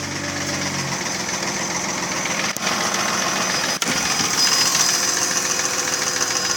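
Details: Mercedes ML320 engine at 300,000 km: fast, loose knock of three or four beats a second over idle; piston slap from scored cylinder liners, persisting after replacing bearings, tensioner, rollers, camshafts, chain and lifters.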